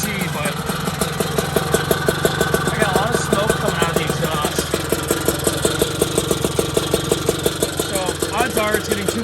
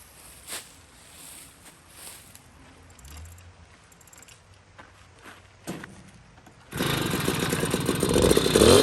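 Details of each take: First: Puch Maxi moped with 70cc kit, first start-up after build: uneven, burbling two-stroke idle with lumpy pulses that never settle; spark plug came out dark and wet, too much gas; running rich. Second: Puch Maxi moped with rebuilt 70cc kit engine, runs after jetting to roughly a 78 main jet with makeshift air filter: little two-stroke catches and buzzes steady and crisp, climbing cleanly with throttle; tops 34-35 mph, properly jetted.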